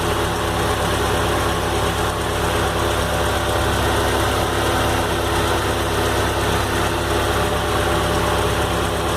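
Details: Warm idle of a new VW AP petrol engine with a light, quick "tec tec" ticking over the hum; noise appears when hot and persists despite a rebuild, machined engine and replaced head, hydraulic parts.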